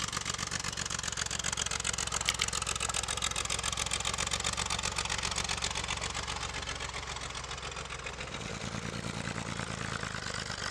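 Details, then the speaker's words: 1963 Chevrolet Corvair Monza air-cooled flat six with new, never-tuned carburetors and new fuel pump from previous owner: uneven, loping idle with stumbling exhaust pulses; runs a little rough, carburetor tuning planned. "The previous owner installed new carburetors and a new fuel pump, and it runs and it drives, but it runs a little rough. He never tuned the carburetors, so that's going to be the first thing we're going to have to do."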